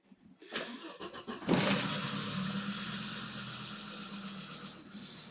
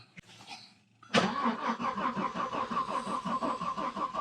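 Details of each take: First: 1991 Audi 90 quattro Sport 20v that sat about 14 years, after its gravity-fed tank was drained and refilled with fresh gas plus Sea Foam: it cranks briefly, catches cleanly and idles evenly with a faint ticking, said to be common on 20-valves. This is a normal start. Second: 1991 Audi 90 quattro Sport 20v that sat about 14 years is cranked by the starter at an even rhythm of about three pulses a second but never fires. It has compression and spark but gets no fuel, and starter fluid only made it sputter. Owner suspects very old gas.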